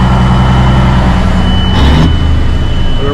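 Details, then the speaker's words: 1987 Peterbilt 362 cabover, 3406B 425 CAT diesel, sat 10-15 years, running after first start; Jake brakes not working, temperature gauge reads 250-265 (owner doubts gauge): deep, steady, smooth idle with no knocks or misses. "But that runs so good, though. Run so smooth. I don't know if you guys can hear how smooth this running"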